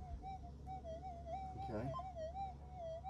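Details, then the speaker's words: Minelab GPZ 7000 (modified vs standard) tested in a suburban rear yard near power lines and domestic appliances: steady mid-pitched tone wobbling in pitch after retune; interference noise persists. "anyway the noise is just too great I really should not be doing this in Suburbia you can hear the noise look I'll just give it a retune and you'll hear the noise change again it's um amazing"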